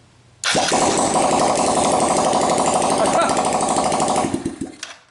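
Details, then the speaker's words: Kawasaki KLX110 pit bike with no-crank no-start fault, started after forcing the gear position sensor wire to ground, exhaust removed: loud raw crackling putter with a fast uneven beat, unmuffled; engine runs. "and it runs and the reason it sounds like it's blowing a bubble bath is that our exhaust is off"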